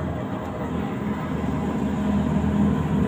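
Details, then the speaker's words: LG 15 kg washing machine stuck at 14 minutes remaining for five minutes: steady low drain pump hum slowly building with no drum spin-up; pump keeps running without spinning, cause suspected not confirmed. "Suara trempa muter terus. Ini udah ada 5 menit tetap aja 14 enggak turun-turun. Terpam masih bunyi-bunyi."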